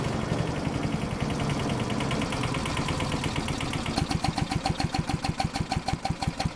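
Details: Troy-Bilt chipper shredder model 24A-414B711 small single-cylinder engine, test run after new carburetor fuel line fitting, oil change, new tires and oiled recoil: settles from a busy run into a steady, even idle with regular beat; normal idle.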